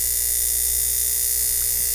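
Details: 1950s ATR mechanical power inverter (6 VDC to 110 VAC), during repair after the vibrator pendulum was moved back into contact: constant high, thin electric buzz over a faint steady hum, no stutter; vibrator oscillating properly.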